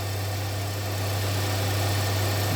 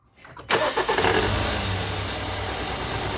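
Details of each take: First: 2017 Hyundai Santa Fe Sport 2.4 with a previous P0301 cylinder 1 misfire, restarted after the work with codes and check engine light cleared: smooth, steady low idle with no stumble or miss. Normal idle. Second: 2017 Hyundai Santa Fe Sport 2.4 with code P0301. Engine cranks, catches and idles with a faint uneven stumble: cylinder 1 misfire, with the spark plugs being checked for oil consumption.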